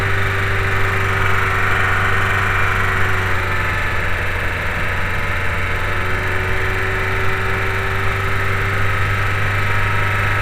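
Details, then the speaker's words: VW New Beetle 2.0L AEG after addressing a cylinder 4 misfire: petrol four-cylinder idles steadily with even low hum and no obvious miss, already better while still clearing fuel from the cylinder. "better already, but it's clearing the gas that's in the cylinder still."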